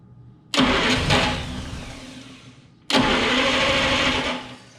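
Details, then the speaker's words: 1947–49 Studebaker flathead six sitting 35 years, reportedly rebuilt, started on starting fluid: two harsh, loud cranking bursts with a whirring grind louder than the very quiet engine. The starter seems strained on 12 volts. "The starter is literally louder than the engine. That starter is not liking the 12 volts."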